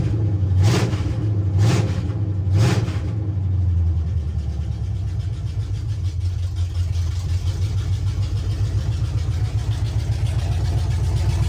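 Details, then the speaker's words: 1976 Chevy C10 small-block 350 V8 after swapping from 2-barrel to 4-barrel carburetor and intake: a few throttle blips, then deep even burble idling on all eight cylinders around an estimated 800–900 rpm, no misses or knocks; normal. "idoling good sounds real healthy so [Music] [Music] so yeah sounds really good running on an all eight uh the idle it's pretty decent"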